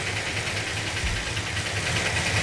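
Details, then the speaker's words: 440 Magnum V8, first start with new roller rockers and roller lifters: lumpy idle with a light, quick ticking on top. Valve lash on one or two valves likely needs readjusting; suspected, not confirmed. "we're probably going to have to readjust those vales yep maybe only one or two"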